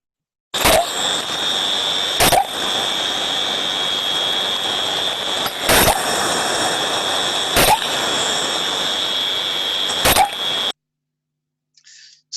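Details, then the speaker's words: Thermodynamic disc steam trap heard via ultrasound: sharp snaps about every two seconds over steady hiss, far above the normal two to ten cycles per minute; trap working but cycling too often, not efficiently. "as we can hear from this one and we can see from the time waveform the numbers of times that this trap is opening and closing is very frequent and goes way outside of the two to ten times per minute cycles"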